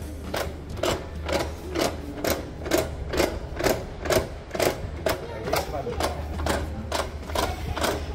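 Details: 2020 Toyota Hilux manual gearbox at 70,000 km: regular clunks about twice a second over a low drivetrain hum. The noise began after an incident and a few hundred km more driving, and the truck arrived by tow. Gearbox fault, exact cause unclear.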